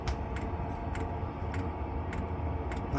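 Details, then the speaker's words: Narrowboat diesel heater, running about 40 minutes possibly on lowest setting, exhaust very hot: sharp regular tick about every 0.6 s over steady low hum with some surging; fuel dosing pump's annoying constant ticking, possibly transmitted through its mount. "this Wood's very cool behind there's very cool so far I'm very happy pump's annoying constant ticking"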